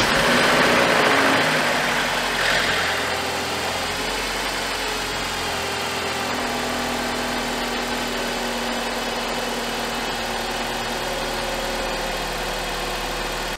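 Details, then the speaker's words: BMW E46 N42/N46 Valvetronic engine that rattled on startup, after timing chain replacement: a loud catch on starting, then a smooth steady idle with no chain rattle or ticking; the timing job succeeded. "jak Słyszeliście odpalił bez problemu chodził nic się z nim złego nie stało także wymiana rozrządu przebiegła pomyślnie"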